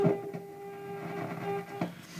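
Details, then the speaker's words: 1969 Telefunken Gavotte 201 tabletop transistor radio, signal generator into pickup input: steady test tone sounds buzzy and rough and distorts badly as volume rises; amplifier fault suspected. "but if I connect the signal generator to the pickup input so you can clearly hear the sound and it's affected by the volume whoa and it it distorts quite badly if I open up the volume"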